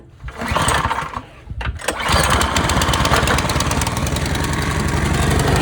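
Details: Snowblower after the broken starter pull cord was repaired; primed with three pumps; one pull with a brief catch, then it fires on the next pull into a fast, even putter: normal start.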